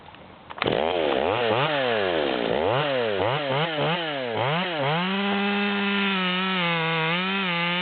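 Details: Ported Stihl MS200T top-handle chainsaw with a 25-inch bar (84 drivers, 3/8), after a carburettor adjustment: revs in quick sweeps, then holds a high, steady pitch while cutting a large log without bogging; strong, healthy cut.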